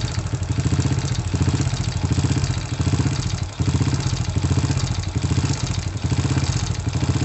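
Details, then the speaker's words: Honda Supra motorcycle, also leaking/seeping oil and with a gear-shift problem: small single idling with light blips and a fast clattery rattle over the beat, several unidentified internal engine noises. "ada beberapa Suarez dalam mesin komplikasi ini agar suara kretek-kretek ada suaranya merek-merek ada suara ada banyak suara di dalam mesin ini"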